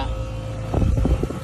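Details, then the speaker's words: Trane XR13 condenser, compressor running but fan not starting, capacitor top bulged: low steady hum with uneven thumps as the fan spins up after a hand flick; failed fan run capacitor. "so like i said if you flick it you can get it going if you don't have a capacitor you can get this thing to flick if it's just a bad capacitor"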